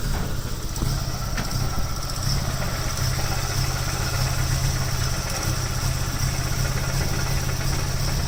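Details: Nissan 240SX, KA24E, at idle: low, lumpy, stumbling exhaust beat with clattery pulses, the rattle being the exhaust hitting the driveshaft rather than rod knock; misfire persists despite new distributor and O2 sensor and cleaned injectors, ISC and MAF.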